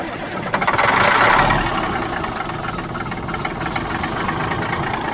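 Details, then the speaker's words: Late-1970s Mack R-model diesel cranks with injector lines loose and ether sprayed. A few ragged ether-fed firings catch, then fade. Nothing comes out of the injector pump despite fuel reaching it. Crank no-start that fires only on ether. "nothing's coming out of the injector pump that is not good so we know we're getting fuel to there and we should be getting some plunge of some fuel spraying out of these but we're not"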